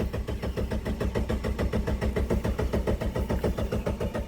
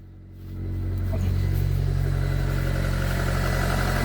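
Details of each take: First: 1999 Mitsubishi Pajero Pinin (iO) 4x4, after adding 13 L of fuel: even starter cranking at about two compression beats a second that never catches; no fuel pump priming heard at key-on, high pressure fuel pump suspected dead, so no start. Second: 1999 Mitsubishi Pajero iO (Pinin) after a cranking-no-start fix on the high-pressure fuel pump, running without the bottom piece refitted: catches and settles into a steady, even idle, smooth low hum, no misses; normal idle.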